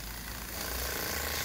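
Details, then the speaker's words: 3D-printed Bedini pulse motor with a new rotor runs hard; a fast, harsh buzzing rattle rides over its whir because the stand is not secured. Vibration from unsecured stand. "A little bit of vibration there the stand needs to be secured better"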